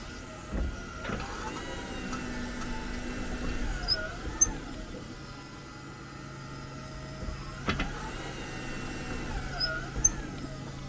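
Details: 2022 Jeep 4xe: faint rising and falling squeaks with a few thuds when reversing and braking or shifting into P; the dealer cleaned the brakes but the squeak persists; at first it was heard only on rough asphalt.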